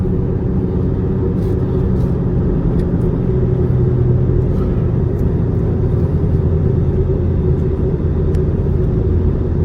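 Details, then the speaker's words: 2001 Toyota Avalon with 366,000 miles on a test drive at road speed: a steady low growl rides under the road rumble from the rear. Suspected to be a bad tire or wheel bearing. Unconfirmed. "Yeah, I can hear either a bum tire or a wheel bearing or something in the back."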